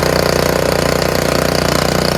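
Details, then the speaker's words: Free curbside Honda HS520 snowblower after hour-long ultrasonic cleaning of varnished carburetor (main jet had come out), fuel bowl still leaking gas: starts on first pull, rapid even single-cylinder chatter at steady speed, no stumbling or surging; normal running. "How about it? That sounds fantastic, isn't it? First pull too."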